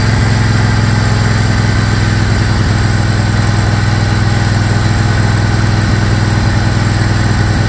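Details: Craftsman GT tractor (model 917.258873) with 18.5 hp Kohler CV18S 624cc V-twin, formerly hard-starting, running after carburetor replacement (Kohler 24 853 41-S, new gasket); deep, even thrum holding steady, no misses or stumbles; normal running.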